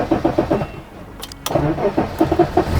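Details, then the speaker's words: 1984 BMW 5 Series E28, 3.5 litre M30 straight six, manual, sat unrun over five years, weak battery with jump pack: slow labouring cranking then a few ragged firing pulses on starter fluid; splutters but won't keep running. "But unfortunately, no matter what we did, all it would do was splutter on starter fluid."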